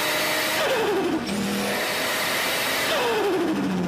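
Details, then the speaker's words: Turbo car with no blow-off valve: two lift-offs, each a rushing hiss with falling whistle and fluttering chatter as boost surges back through the compressor; turbo compressor surge, often mistaken for a blow-off valve. "Dieses, was Leute viel sagen, oh, hör mal das Blower-Ventil, das ist nicht das Blower-Ventil, das ist ganz, ganz oft der Verdichter, der Druck abbaut. So ein Schnattergeräusch."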